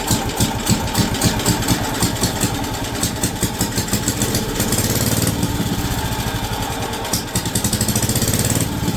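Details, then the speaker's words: WWII Wisconsin AB military Signal Corps generator small engine, first run in about 70 years, rope-started, with two-stroke oil added for the top end. Steady, even thumping with the governor holding speed, no clunks or skips; running normally. "that sounds amazing and the governor the governor is actively working in the back that sounds amazing no clunking no weird stuff going on it is running fantastic"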